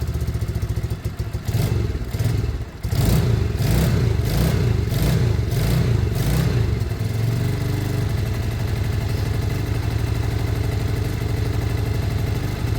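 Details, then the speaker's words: Lexmoto Michigan motorcycle after carb swap, just started and warming up: a few throttle blips then a steady, even single-cylinder beat settling into a smooth regular idle; runs clean and healthy. "sounds great I'm going to give it a minute to warm up"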